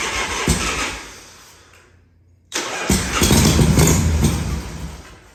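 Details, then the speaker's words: 1978 Harley Shovelhead FXS Lowrider, first start after long storage, tanks cleaned, petcock rebuilt, not the right battery; on starter fluid it cranks, fires briefly and dies, catches again briefly; fuel not getting through. "Let's give it a little more spray until the gas gets up there."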